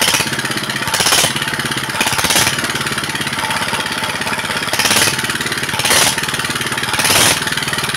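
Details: Single-cylinder diesel after repair: fuel kept rising by itself and would not drop despite new nozzle; now idling evenly with no high pitch, smoke gone, steadier thump, normal idle.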